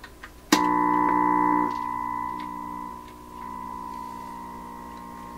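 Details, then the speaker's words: 1928 RCA Victor Model 28V radio with replacement 226 tubes being tried: 1000 Hz test tone comes through garbled, harsh and buzzy with overtones; suspected 60-cycle AC hum mixed in, not confirmed. "it's very garbled it sounds to me like there's some AC mixed in with it like 60 cycle AC or something of that sort"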